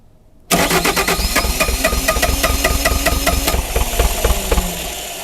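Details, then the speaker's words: Frozen, neglected Bobcat T595 diesel in extreme cold, primer bulb tight with fuel, glow plugs being cycled: steady starter chug at about four beats a second with a few weak catches; it almost fires but won't run. "Oh, it's so close. I can troubleshoot it a lot easier if I can get the engine running, do some injector tests and stuff, but there's a lot of stuff we could check actually, but let's let them glow plugs warm up one more time and see if we can't just get this thing to roll off."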